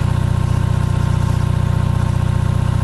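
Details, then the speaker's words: Onan 5.0 CCK-4R 5kW three-phase dual-fuel genset, second leg under about 1400 W load at roughly 120V, 61Hz: deep, steady, even throb at constant speed, no knocks or hunting. Running smoothly; second leg confirmed working. "There it is, purring like a kitten. Volts. So there's that leg."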